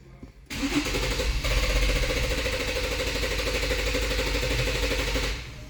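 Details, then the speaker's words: 2014 Infiniti Q50 with P0340, intake valve timing PID bank 1 reading -17, and crank no start despite a new camshaft sensor. Cranking catches into a rough, uneven run; camshaft timing out of sync is suspected after a long crank before start. "the timing the camshaft the target the camshaft the timing is not sync well that would create this problem"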